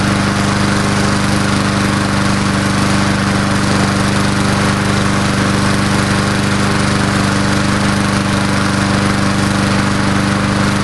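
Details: Old Murray Dynamark 22 mower, 3.75hp Briggs & Stratton, just started after about seven years stored, fresh gas: single-cylinder engine holds a steady, even drone without surging or misses; normal running.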